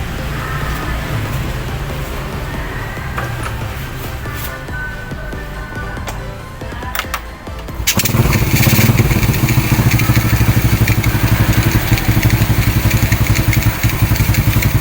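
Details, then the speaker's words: Supra X carburetor motorcycle that was hard to start and stalling suddenly, after spark plug and carburetor fuel flow checked: engine catches after brief fumbling and settles into steady, even single-cylinder idle with no misfires; no longer stalling. "Oke bro, itu aja, motornya udah kembali menyala dan nggak mogok lagi ya bro ya."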